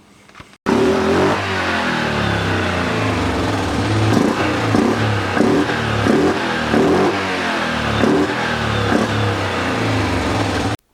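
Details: 2007 Yamaha Grizzly 700, first fuel-injection model, engine running during fault diagnosis: uneven surges and repeated stumbles from about four to nine seconds, rough and coughing. The cause is not yet confirmed.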